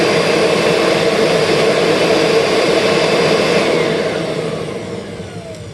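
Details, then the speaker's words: 2001 Kirby G6 vacuum with upgraded transmission, refurbished with new bearings and seated brushes; steady high even whir with no roughness, minimal sparking, smooth in either direction, winding down cleanly; normal motor run. "Oh, I hate to say it, but that's smoother. So, yeah, that's nice. Okay, we are in really good shape now."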